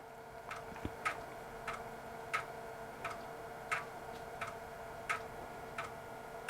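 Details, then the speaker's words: Disk drive in an early-1990s Dell 486P/20 (486SX 20 MHz, MS-DOS 6.2); unhurried head-stepping clicks, well under one per second, about half normal speed; sluggish access, possibly just this drive model. "the dis access sounds slow sounds like about half the speed normal it's not a very energetic drive maybe just this particular [Music] model"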